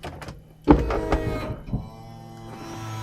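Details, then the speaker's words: 2009 BMW 120i M Sport convertible (E88), soft top after hydraulic roof motor replacement and leak reseal without gasket maker: thunk then steady even pump hum as roof cycles, no straining; sounds better and faster, roof operating normally. "Sounds better. And it's faster, dare I say. It is faster."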